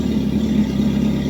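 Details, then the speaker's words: Home-built "Frankenstein" off-road sand car running: an even, loud hum with a steady low drone and no knocks or stumbles. The engine runs really well, just very noisy. "actually runs really really well so far no all right but it is noisy that's right"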